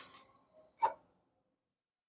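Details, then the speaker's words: Yamaha Mio S 125 scooter with a one-year-old Kayaba battery reading 9.8 V on a tester: one faint click on the starter button, then silence with no cranking; battery too weak to start, kick start works. "Iya, enggak kuat, Guys. Enggak kuat. Ternyata enggak bisa diarter."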